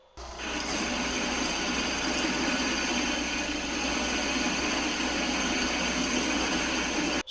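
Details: Small VFD-driven lathe cutting EN8 steel on a fabricated toolpost riser, after raising PWM frequency from 16 to 24 kHz and retuning settings: even steady cutting hiss over low motor hum, no chatter.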